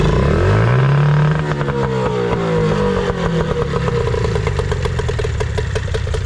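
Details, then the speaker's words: Nissan/Tohatsu 18hp two-stroke outboard after carburetor tuning: the idle air mixture screw was turned about an eighth of a turn. It revs up cleanly, then settles into a steady, even idle with a light rattle. Idle and throttle response are right. "I was able to adjust this to get the idle just right some throttle"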